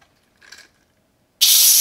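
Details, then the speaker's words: Yamaha YZ250F engine leak-down test at TDC after a valve adjustment: a faint knock, then a steady high hiss. The air pressure pushed the piston, turning the crank and camshafts and opening the exhaust valves, so air escapes through the exhaust. "c'est parce qu'on vient de mettre de la pression dancing on appelait sur le piston qui a fait tourner du broker qui a fait tourner les arbres à cames qui a ouvert les soupapes d'échappement c'est la raison pour laquelle sa cible à échappement"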